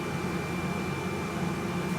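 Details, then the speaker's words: Aerovex Whisper salon source-capture extractor turned up to 70% then 100% fan speed: soft even airflow hiss with low steady hum, no rattles or surges; loudness barely increases at full speed, fan running smoothly. "Let's crank this baby up so you can hear different levels of sound. There's 70%. The volume doesn't really go up a lot. There's 100."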